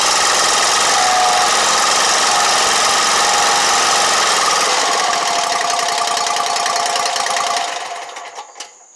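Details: Exmark Lazer Z 72-inch commercial mower after no-start repair: steady even single-cylinder putter at fast idle, no surging, running on its own.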